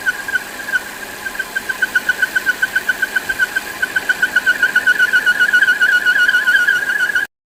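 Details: Volvo XC60 at idle: a high, thin squeal pulsing about three to four times per second, steady in pitch, caused by a defective PCV valve.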